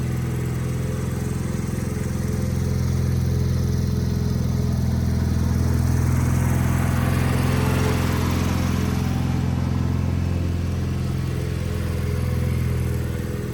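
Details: Wheel Horse 520H hydrostatic garden tractor, revived and running on its own gas tank during a test drive; steady, even single-cylinder thump with no missing beats or surging, normal running.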